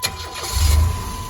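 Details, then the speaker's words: 1998 Chevrolet van with 4.3 engine that intermittently cranks without starting and shows no codes: this time a short crank catches at once and settles into a steady idle. Normal start. "know it started now right away try it again"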